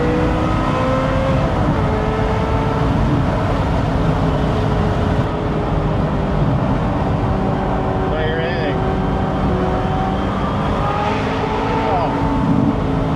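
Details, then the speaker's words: Ferrari 355 V8 during inspection, idling then driven to get hot: steady even note with clean rev swells, no knocks or misses; sounds totally normal. "He says at idle, so let's let it sit for a second. It sounds totally normal."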